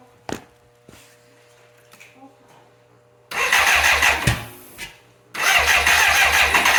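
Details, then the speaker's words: 1985 BMW K100 with fire damage that sat 6 years, brought in for wiring repair: two few-second bursts of steady starter cranking with no firing or catch. Cranks but won't start; a relay with something loose inside is suspected. "Okay, we got the bike torn down again, trying to find out why this thing won't start."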